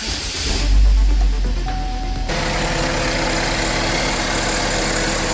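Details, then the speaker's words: 2013 Chevrolet Equinox 2.4 L at start-up and idle: engine catches, then a light metallic rattle over the idle; cam/crank position performance codes stored, timing chain rattle. "There it is. Hear a little rattle. I guarantee I scanned this thing and it's got timing codes."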